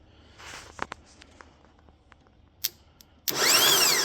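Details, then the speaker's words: Starter from LS4-swapped Pontiac Fiero bench-tested off the car on a battery: a few clicks, then a high whine as the motor spins freely with no clunk of the drive gear throwing out; pinion not engaging flex plate. "but it's not kicking the gear out. So, this is supposed to when you hit the button there or whatever, supposed to kick that out to grab the flex plate."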